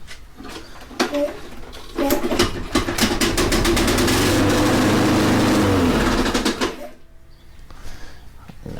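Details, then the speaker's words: Toro Recycler 22-inch Personal Pace mower after reassembly: engine revs with a rapid, sharp knocking about four times a second. The spacer between the blade adapter and crank was left loose, so the blade rocks. Loose blade knocking. "that's something hitting that's definitely not good wait to see what's going on here"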